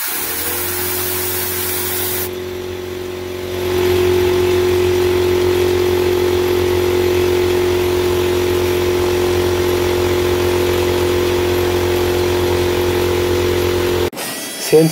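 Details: Free air compressor that would not turn on or off, after replacing the pressure switch with a Lefoo LF10A-4H set to 75 psi cut-in, 125 psi cut-out; relief valve pulled to drop pressure: hiss dies, motor kicks in with steady even drone; switch cuts in properly.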